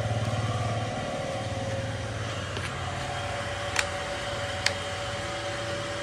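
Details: Bajaj Pulsar NS160 BS6 with weak battery, after refitting throttle body hose that had come off causing air leak, popping and no-start: single settles into an even quiet idle, no popping or spitting from intake; normal idle.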